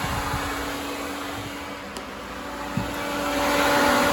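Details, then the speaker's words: Triumph Stag with Ford Essex 3L V6, newly fitted twin electric cooling fans on a relay with separate live feeds, thermostat turned down to trigger them: steady airy rush, faint even hum, no rubbing or wobble; front pushing, rear pulling, both working normally. "And this one is definitely sucking. Excellent. Oh, fantastic."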